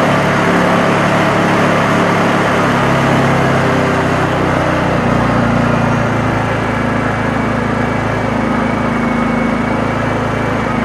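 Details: Honda EU2000 inverter generator after its carburetor jet hole was opened up: it drones at a steady speed throughout with no hunting or surging; running much better, though it may have a few other issues.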